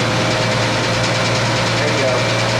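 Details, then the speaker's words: Jeep CJ7 with a stock Carter BBD carb, misfire on cylinder 5, idling cold: fast light ticking in time with the engine. Owner suspects a stuck lifter; it improves when warm. Marvel Mystery Oil added to the crankcase; vacuum leaks found later. "I think the lifters stuck I'm gonna put some mystery oil in there actually try to unstick it"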